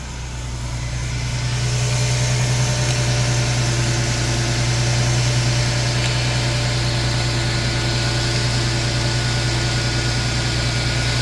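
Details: Engine started on the first try with a LokiThor J400 jump pack: it catches and settles into a smooth, even idle with a steady low hum and no knocks or misses, running healthy.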